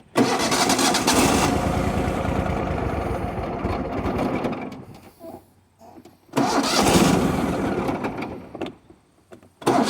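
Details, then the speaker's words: Riding mower tractor just refilled after running out of fuel while mowing, some choke: two long bursts of steady cranking with no catch; crank no start, owner suspects vapor lock from overheated fuel pump. "doesn't want to run okay pretty sure it's vapor locked"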